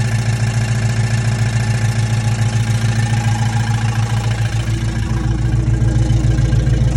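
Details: Dodge Charger 5.7 HEMI V8 at idle: steady deep rumble with a regular knock under two per second; owner wonders whether lifter failure, pulley, exhaust leak or flex plate; engine knock at idle, cause unconfirmed.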